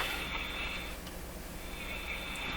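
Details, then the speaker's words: Electrohome Cosmic tube radio after IF transformer adjustment, tuned near 590 kHz AM, volume high: faint station buried under steady hiss and crackle with thin high whistle. Weak noisy AM reception. "Boy, that's just terrible."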